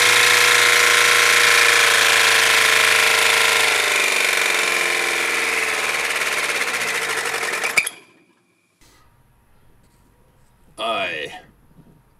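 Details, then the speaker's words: Car engine run without oil and with the sump removed to watch the bearings. Fast, even mechanical clatter winds down and stops dead at about eight seconds as the dry bearings seize. Dry bearing seizure. "The bearings jammed it again! Those bearings are always ruining it!"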